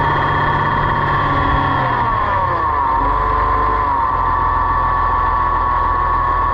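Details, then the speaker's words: Oliver 1755 tractor warm, gauge on hydraulics, relief valve turned in: engine sags then steady hissing whine as relief valve blows at about 1700 PSI, too low, needs shims. "you can hear the relief valve below right about there it's starting to blow and that won't work so we'll back it off okay so it started to blow like I said probably about whatever that would be 1700 or so"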